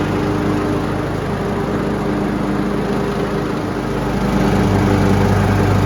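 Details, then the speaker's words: Troy-Bilt Pony riding mower after replacing deck spindles and blades, which had been making bad noises under load: steady, even engine drone with blades engaged, no knocks or scraping. "we're going to go ahead fire it up and engage these blades for the first time and hope we don't hear any strange noises hopefully it's just a nice purr"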